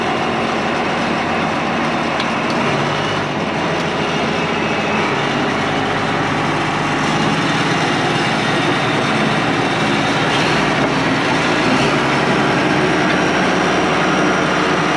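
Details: IH 175C track loader diesel, first run after servicing and restoration: steady, even diesel clatter with a smooth low rumble, no knocks or misses.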